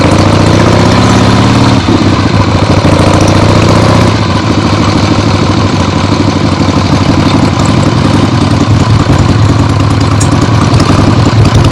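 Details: 1975 Harley-Davidson XLH Ironhead Sportster after full rebuild, first short test ride around the block on temporary lawnmower gas tank: loud, lumpy V-twin beat through open pipes, revs rising and settling evenly, no knocking; a few carb farts probably adjusted out once warm; runs great.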